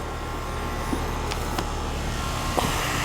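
Steady, even hum with a constant low drone and only a few faint ticks; the air conditioner is running normally.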